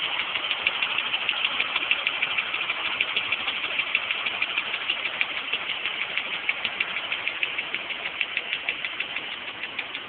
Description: 1989 E34 with M20B20 engine. Loud ticking noise when the engine is cold...